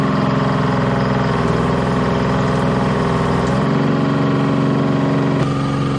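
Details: Bantam C350 crawler crane's Detroit Diesel (believed 3-53) two-stroke, revived after about 20 years parked: steady even drone, smooth unchanging beat, no knocks or misses; healthy.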